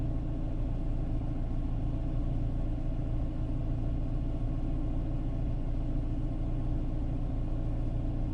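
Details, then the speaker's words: 2011 Renault Clio 1.2L petrol with aftermarket LPG, 75 hp (oxygen/MAP sensor from AliExpress suspected): low steady idle rumble with slightly uneven pulse, no rhythmic knock; rough idle, suggests engine misfire. "but yeah I still got some uh some engine misfire and this is really unfortunate"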